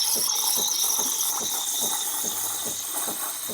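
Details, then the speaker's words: Breville Barista Pro steam wand aerating whole milk in a 12 oz pitcher, tip barely at the surface: harsh tearing hiss with rapid spluttering pulses about three a second; drawing in slightly too much air, whole milk forgiving. "I'm low-key incorporating a little too much air because it's like going crazy, but I think it'll be fine. Whole milk is pretty forgiving."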